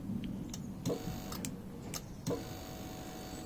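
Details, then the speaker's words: Honda CBF1000 with starting trouble, after fiddling with the starter circuit: a few sharp single clicks at uneven spacing as the starter solenoid engages; owner suspects dirt in the starter button switch. "I was getting that you can hear the start solenoid click"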